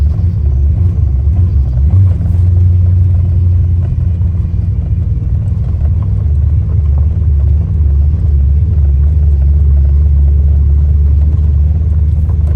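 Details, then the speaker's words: Ford Mustang Fox Body after swapping the distributor pickup (PIP/stator), with a high-RPM miss around 4,000–5,000 rpm before; steady, even engine rumble while driving, no stumble or miss; the engine now runs healthy. "Not, I guess the pickup was bad in both of them, but because this thing's running like a top now."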